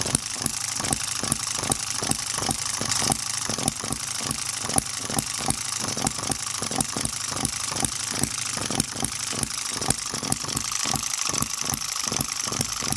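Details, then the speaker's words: Microcosm M96 "Oddball" 2cc hit-and-miss model engine with new 1.5V electronic ignition and smaller-scale spark plug: crisp regular pops about two per second with even gaps. Normal hit-and-miss running until fuel seems to be running out. "And the ignition working absolutely great. The new ignition with 1.5 volt sourced ignition, incredible. What a beauty. I'm going to continue running this."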